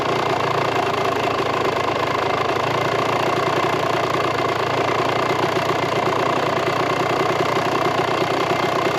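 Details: 1998 Kawasaki KX125 two-stroke after rejetting and idle screw turned out: steady crisp idle holding an even, fast buzz without missing or surging; jetting sounds right, normal idle.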